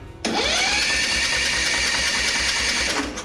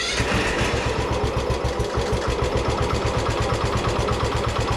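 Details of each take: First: Craftsman ZTS7500 zero-turn, Kohler Courage engine, spark plug removed (wet with carb cleaner); even fast whir rising to steady speed with no compression pulses; engine spins freely, has spark; owner suspects compression release issue in valve train. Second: Craftsman ZTS7500 zero-turn mower, Kohler Courage engine, sat about 3 years, just started after topping off oil; single-cylinder thumping, uneven and ragged, heavy exhaust smoke, won't run at very low throttle.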